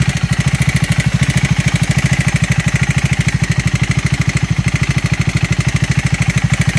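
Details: Triumph Scrambler 400X / Speed 400 single-cylinder idle thumping evenly at roughly three beats a second, with a faint tick riding on it; abnormal engine noise, cause unclear.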